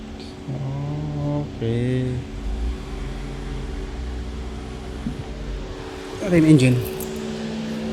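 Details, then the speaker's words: 2022 Toyota Avalon after diagnosing multiple misfire (cylinders 2, 5, earlier 3) with scanner and oscilloscope: even, steady hum with no stumble or skip. Misfire gone, engine running smoothly. "So okay na. Matining na."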